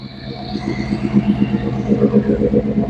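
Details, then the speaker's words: 1935 Ford deluxe sedan barn find fitted with a 302 Boss V8, running again after sitting for decades: even, deep V8 burble with a steady lope and no knocks or misses, a healthy idle. "sure is good to hear that truck running. I tell you guys, I know Dave inside's going to be just stoked that it's running again."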